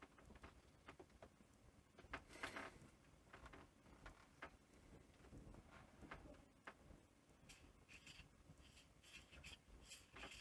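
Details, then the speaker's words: Panasonic NV-V8000 VHS recorder capstan motor, freed from a jam and turning after the capstan height adjuster was refitted, grinds a little with quiet, uneven gritty scraping; considered fine now, though something else was jamming it. "you can hear that that's just grinding a little bit so that's now fine"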